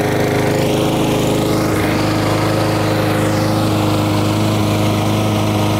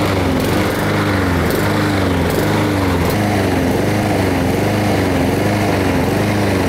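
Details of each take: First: Lawn mower after carburetor jet enlarged to cure surging: engine holds one even speed with a steady drone, no hunting; much better. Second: Honda-engined lawn mower running outside: note rises and falls nonstop, surging up and down; caused by lack of fuel from a carburetor issue, fixed later.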